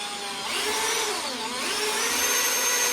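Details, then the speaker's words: 351 Cleveland oiling system bench demo, oil pump driven by drill, one lifter removed to simulate leak between pump and pressure gauge; drill whine climbs as it spins faster, gauge not moving, oil pouring out; oil leak, no oil pressure. "As you can see, I got a bunch of oil here. We got nothing on the pressure gauge. It's not even moving the gauge. And you can hear how much faster my drill is going."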